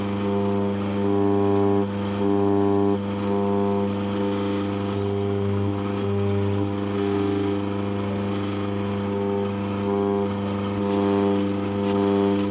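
Loud low drone with a buzzy edge that swells about once a second. The grinder is running with abnormal vibration.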